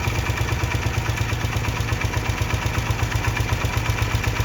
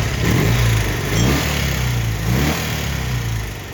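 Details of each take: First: 1972 BMW R75/5 airhead twin with Bing 32mm carburetors during a digisync sync and idle-drop tune: even idle pulsing while the mixture screw is backed out an eighth turn at a time, and the idle speed starts to drop. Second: 1972 BMW R75/5 airhead twin with Bing 32mm carburetors, after digisync and idle-drop sync and tune: crisp, clean rev blips to about 4,000 rpm dropping smoothly back to steady idle around 1,000 rpm; balanced, normal throttle response.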